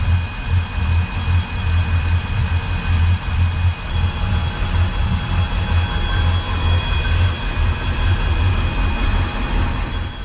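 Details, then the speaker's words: Volvo Penta 8.1 Gi (496) marine engine shaking at idle and reaching only about 2800 RPM; listening at the riser/manifold on each side, low lumpy idle with irregular swells, a misfire; spark ruled out. "So I do this with both sides to figure out which side the misfire's on."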